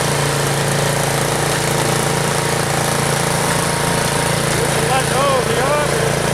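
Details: Troy-Bilt Storm 2840 snow blower single-cylinder engine, warmed up after a choked start, throttle lowered to idle: even putter with a steady beat and no misses or knocks; sounds healthy.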